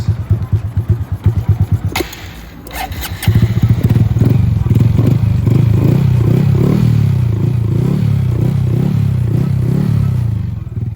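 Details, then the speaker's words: Honda Grom single-cylinder after new OEM cam chain and cam chain tensioner: steady low idle thump, no ticking from the top end. "Running valid. No ticking noise."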